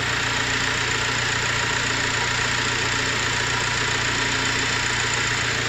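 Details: Engine idling with a steady high whirring whine over a busy rattle; cause found to be a faulty alternator, which was repaired.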